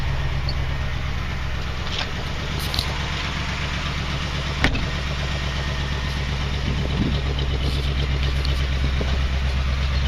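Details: 1979 Jeep CJ-5, one owner, AMC 304 two-barrel V8, exhaust shot, warmed up and off the choke: deep, even exhaust burble with a low steady rumble, no misses or ticks. Normal idle.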